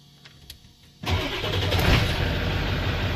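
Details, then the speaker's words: 1994–97 Ford 7.3 Powerstroke OBS diesel after electric fuel pump conversion, pump cycled to prime: fires on the first crank and settles into a steady, even idle, fuel pressure building to about 45 psi, regulator still to set. "Holy shit. One crank. One crank."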